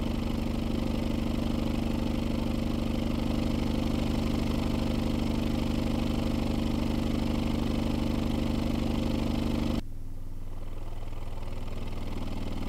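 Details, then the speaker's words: Skar SDR 18-inch dual 4-ohm subwoofer on a 650 W amp, free-air test on the ground after sawdust was cleared: deep, steady, clean bass thumping with no crackle or rattle. "so now that the subwoofer is working fine free air let's get it inside its box and see how it performs"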